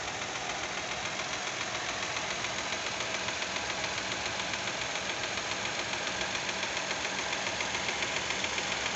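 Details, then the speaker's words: Fiat Argo 1.0 Firefly engine, warm, idling: light even ticking about 3.5 per second, like a tappet noise; owner finds it odd since he believes the lifters are hydraulic, cause unconfirmed. "ele quente faz esse barulho de tucho eu tô gravando pessoal porque eu achei meio esquisito barulho"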